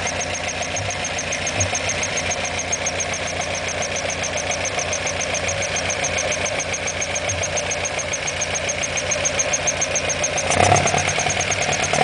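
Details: Alfa Romeo Alfetta GTV 2.0 L engine at idle: quick, even ticking riding over a steady idle, pace following engine speed; internal engine ticking, cause suspected but not confirmed.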